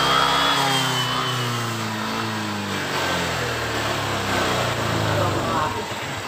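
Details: Honda Vario 125 LED scooter that sometimes dies while riding, revved: wavering uneven pitch sagging as if about to die; suspected loose wiring or sockets, side-stand switch, or ignition wiring, cause unconfirmed.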